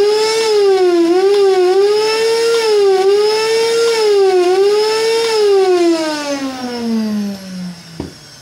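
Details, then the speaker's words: Kärcher NT3000 wet/dry vacuum with a customer complaint of deafening noise during use: a loud, high motor whine wavering about every second, then winding down. Dust-worn motor brushes and seals make it run rough. "feito esse teste aí primário vocês puderam reparar que existe um ruído muito alto por parte do motor"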